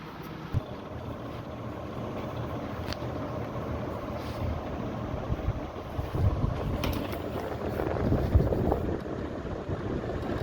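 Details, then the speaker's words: Voltas window AC after hammering back rust-swollen body where the fan blade hit it: steady low even airy rush, no scraping or knocking. "देखना अब कोई और तो आवाज़ नहीं आ रही किसी किस्म की।"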